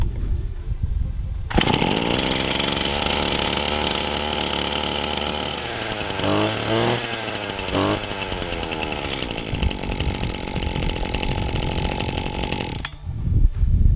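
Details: Brand-new Husqvarna 525RX brushcutter, first start after unboxing using the cold-weather procedure (purge bulb 10 times, choke): small two-stroke catches, runs at a steady high buzz, blips cleanly and settles back; healthy running.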